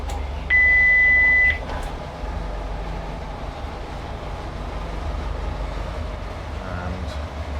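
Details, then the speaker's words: Sealine S28 boat twin engines, stone cold, just started after engine-bay soundproofing, 14 V charging, about 80 psi oil pressure: warning beep then even low tick-over hum, starboard idling slightly higher than port; normal cold idle. "Obviously the stone cold, and they both tick over at roughly the same. Starboard's a little bit higher than port"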